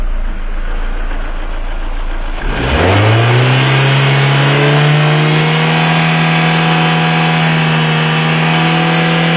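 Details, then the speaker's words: 2000 Ford Escort that dies at red lights, lean condition: revs fall sharply and the engine sinks into a low, labouring near-stall idle while recovering from an intake vacuum leak during fuel trim testing. "maybe okay look at that yeah I made a definite mistake didn't I and my engine's about to go it doesn't like recovering from that does it"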